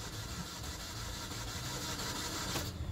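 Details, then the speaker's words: 2009 Hyundai Sonata 2.4L crank-no-start, no spark, no DTCs: uneven, lopsided starter cranking that never fires, cranking RPM reading dropping to zero; timing chain jumped, intake cam retarded, verified with Pico scope pressure transducer. "we got crank no start on this 2009 Hyundai Sonata does not sound healthy"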